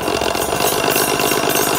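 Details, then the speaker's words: Rad Power Bikes RadRunner 1 with a Bafang hub motor, under throttle: a constant fast chattering rattle over the motor hum, as if gears are grinding or something is loose inside the hub; it began while commuting, with no external damage seen. "So, I mean, yeah, I mean, definitely sounds like a motor thing."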